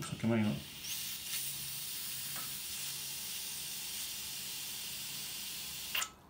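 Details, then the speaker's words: Home central-heating radiator after replacing a leaking radiator valve: steady sharp hiss for about five seconds, then a sputter as water reaches the bleed screw; trapped air venting from the radiator. "can hear the air coming up there until this radiator gets water coming out again. That means all the air is expelled from the radiator."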